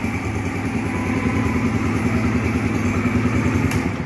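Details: Yamaha YBR 125 (2007) after installing a replacement sealed engine, first start: even, steady single-cylinder thump at idle, no knocking or rattles; a smooth healthy idle.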